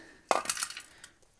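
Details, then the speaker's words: Old catalytic converter removed from a Miata that failed smog, likely after years running with a blown head gasket, shaken by hand: loose metallic clinking and rattling as its broken internals move; broken catalytic converter substrate, replaced with a California-approved unit. "we're gonna throw this on here and go for a retest got the old one out you hear that that sounds bad"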